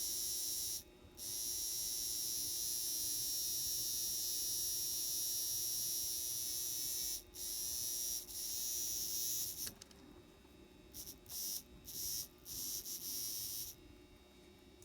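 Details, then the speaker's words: Old N-scale Atlas/Rivarossi 2-8-2 Mikado locomotive motor after oiling its bearings, run on voltage: thin electric buzz, steady then stuttering on and off, rough and worn; motor has seen better days; noisy motor running. "it's obviously this motor is seen better days"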